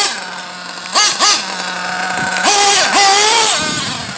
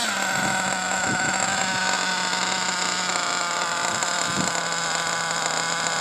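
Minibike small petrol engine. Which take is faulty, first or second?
second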